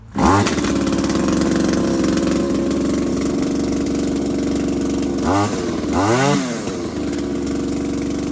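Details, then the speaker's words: RedMax string trimmer after an engine swap: the small two-stroke catches and runs evenly with quick throttle blips; runs fine. "sure yeah it runs so I'm going be using this at The Hideaway tomorrow"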